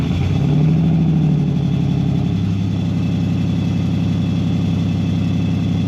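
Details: BMW E46 330ci drift build, first start after fitting Condor Speed Shop solid engine/gearbox mounts, headers and custom valved exhaust: even, steady idle with deep burble after a brief blip, no knocks or rattles; valve changes tone, not volume.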